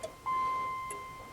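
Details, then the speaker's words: 1989 Dodge Daytona ES salvage-yard car that had been sitting, missing its starter and with no compression. Key on, the left turn signal gives crisp, even clicks with a soft chime, about two a second. Normal turn signal flasher. "hear turn signals that's the right i mean left side so yeah we got left turn signal"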